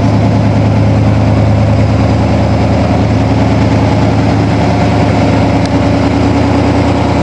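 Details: 1987 Toyota Supra MKIII with swapped Chevrolet 350 Vortec V8 and 700R4, restarted after rebuild with distributor cap turned 180° and valve lash reset; exhaust loose on manifolds, unwelded. Steady deep idle, some exhaust rasp, no backfire: normal idle.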